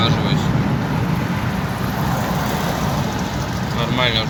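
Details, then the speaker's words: Opel Antara test drive after fixing brake scrape and grind: pads cleaned earlier. Stops now bring only steady road and tyre roar with no scraping or squeal. Owner concludes any grinding comes mainly from the discs, not the pads. "Что, друзья, вот все едем. Нормально, ничего, короче, не шкребет. Все офигенно."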